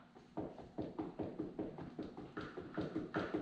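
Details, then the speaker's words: 2014 Yamaha R1 wrecked after hitting a deer, front end lifted and rocked: hollow knocks about 2.5 per second as the front end moves fore-aft and side to side; suspected damaged steering head bearings. "can hear it and you can see these whole this whole front end is moving forward moving back this is super loose in the front end and it also goes side to side a little bit"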